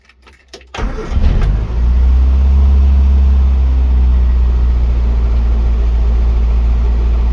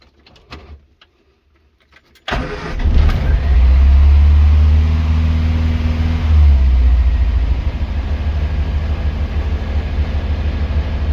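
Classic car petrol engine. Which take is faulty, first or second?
second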